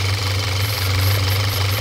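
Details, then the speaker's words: 2014 Audi A4 2.0 turbo idling, shaking, deep slightly uneven drone with a faint pulsing whistle of air being sucked in; codes system too lean at idle (P0171) and misfire, caused by a PCV valve stuck open, needs replacing. "that's the whole issue right there we have to replace this ball that's causing the system to lean as you can hear that's causing the whole problem and also you can hear right away sucking air"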